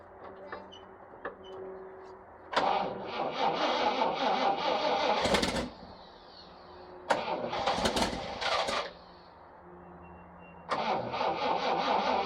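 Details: 1979 International Harvester ACCO 510A 4x4 truck, V-345 (5.6L) petrol V8 with 4-speed T-17, about 28,900 on the odometer, not started for about two weeks: short cranking bursts catch into a steady, even V8 idle between blips; a healthy start and idle.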